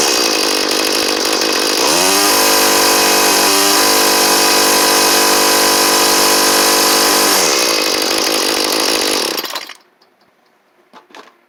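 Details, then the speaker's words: Cheap 31cc two-stroke string trimmer after new carburetor and fuel lines, fitted with a heavy four-string universal head; high buzzy scream held down, sounding slightly bogged, likely from the heavy head, then shuts off. "Kind of sounds like it's bogging, and it probably is a little bit because of that head on it, but that head does work fairly well for what it is, which is kind of nice."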